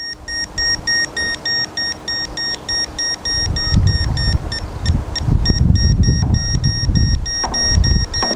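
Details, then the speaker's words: EZ-Net portable satellite internet dish with beep finder on F-type connector, elevation preset: short high beeps about three a second, broken and uneven; dish close but not aligned, continuous tone means aligned. "now we can hear that beeping and that intermittent beeping confirming we're close but we're not quiet on it"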